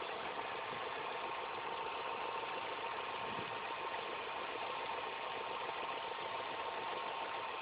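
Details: Engine idling after all belts, the timing belt and the tensioner were replaced: constant mid-pitched rattly whirr over the engine at steady idle, an abnormal noise of unidentified cause.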